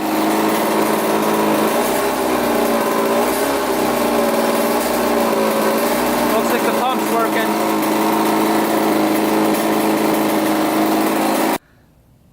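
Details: 1985 Yamaha YZ80 two-stroke, freshly rebuilt, first run on 41 premix: high-pitched buzzy note holds a steady speed without misses or rattles. Runs clean and healthy; owner unsure the impeller works.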